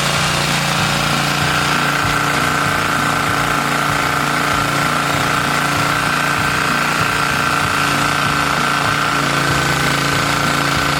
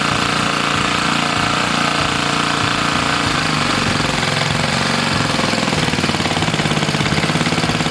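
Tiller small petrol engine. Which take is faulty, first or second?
second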